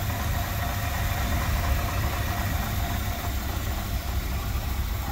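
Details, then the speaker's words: 1964 Ford Galaxie 500 convertible V8 with fairly new dual exhaust, heard under the open hood: deep, steady rumble at an even idle with slight throttle blips, no ticks, knocks or misses; a really good sounding engine. "sounds really good blow her out a little bit here loading up just a little bit there"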